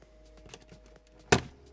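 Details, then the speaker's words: Bang & Olufsen Beocord 8004 cassette deck, obtained non-working, powered on after fuse checked: faint even hum of the capstan motor with one soft click; capstan motor spins steadily as normal when powered. "passe alors déjà on entend le moteur tourner donc déjà c'est bon signe comme je l'ai expliqué généralement quand on alimente le moteur tourne en permanence le moteur du cabestan"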